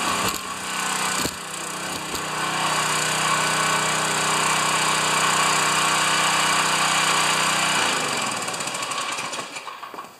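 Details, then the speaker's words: Pressure washer, first start since last year, unloader working: small petrol engine runs steady and even at constant speed, then winds down and stops near the end; runs well, normal running. "good the pressure washer runs good"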